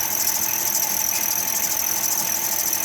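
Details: Vehicle with no reverse and failed transmission, idling: steady piercing high-pitched squeal typical of a slipping accessory belt; belt noise noted, possible power steering whine when turning.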